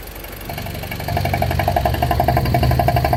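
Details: BMW E46 with N42B20A engine at idle: a quick, regular ticking of roughly four per second rides over the idle and grows as it settles; abnormal idle noise, cause not identified.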